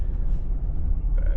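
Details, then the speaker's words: Nissan Elgrand E50 test drive in cabin after replacing sway bar end links: only low, even road rumble, the small knocking over bumps gone; a slight lower thumping remains, possibly the shock. "We're gonna find out real quick if that was the problem. Yeah. The little knocking noise is gone."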